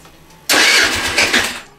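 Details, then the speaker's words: 2008 Racer Salut MT50QT-19B scooter, 139QMB four-stroke, after setting valve clearances and cleaning carburettor: sudden bark as it fires, about a second of busy running, then fades; engine now starts, likely because valves have clearance. "заводиться начал работает почему-то интересно почему Наверное потому что теперь зазоры в клапанах есть"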